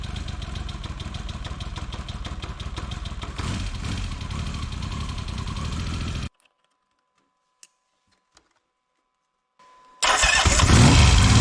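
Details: 1979 Yamaha XS750S after reseating the timing advance mechanism and refitting the cover plate: even, steady running beat, a short silence, then a quick clean start into a strong rev; normal start and idle.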